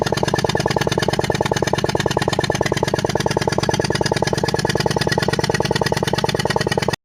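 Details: Maruti Ertiga BS6 petrol engine misfiring at idle: a rapid, slightly uneven pulsing beat with a stumbling rhythm.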